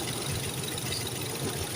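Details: Toyota 3VZ-E V6 idling: steady, even flat hum with no howl or whine on top; earlier howling noise, first suspected water pump or power steering, was traced to the AC pulley.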